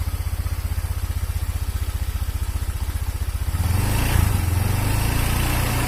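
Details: Honda Vario 125 injection scooter, hard to start: fast, coarse idle thumping turning into a rough, gravelly drone when revved; piston worn loose in the cylinder block, weakening compression, worn piston and cylinder.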